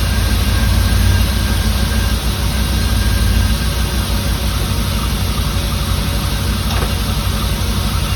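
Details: 1989 Firebird Formula 350, 10,000 miles, long stored, injectors gummed and being tapped free: deep uneven lumpy rumble that never settles, running rough; cause suspected, not confirmed.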